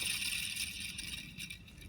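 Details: 2008 Lexus ES350 running engine: steady high hiss and squeal from the belt area caused by a worn belt tensioner; reaching it requires removing the cooling fan, alternator, splash shield and AC compressor.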